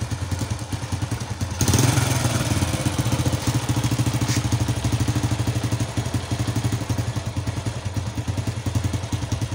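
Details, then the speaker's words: Motorcycle single with a locally made, properly tuned carburetor: lumpy idle, a quick throttle blip, then a sharp pop as the throttle closes, attributed to a leak in the right-side exhaust pipe; deceleration popping. "dan untuk suara ledakan saat diturunkan gasnya, karena di sini suara knalpotnya ini bocor yang sebelah kanan,"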